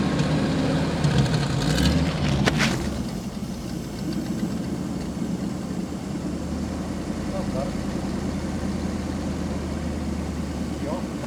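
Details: 1998 Ford Econoline 350 5.4L after the EGR was blocked off: catches after a short crank and settles into a steady, even low idle with no stumble or misfire; running fine.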